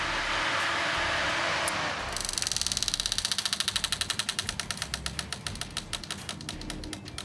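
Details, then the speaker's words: C4 Corvette kart being cranked: a hiss, then a fast ragged train of sharp cracks as it kicks back and backfires through the exhaust without staying running; hard start traced to spark plug wires routed one slot off. "tried to fire it up and it does not want to fire and stay running kicks back backfires through the exhaust"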